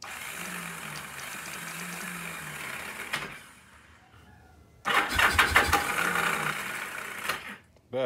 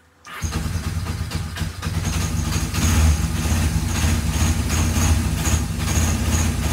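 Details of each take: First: Free old Kawasaki KZ750 motorcycle: starter cranks in uneven bursts, keeps kicking out (suspected bad starter clutch gear), engine never catches despite carb cleaner; no spark seen, owner suspects old ignition points. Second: Free, rusty, long-neglected Kawasaki KZ750 after work: fires up straight away and settles into a steady, even four-cylinder idle with no knocks or misses; runs healthy.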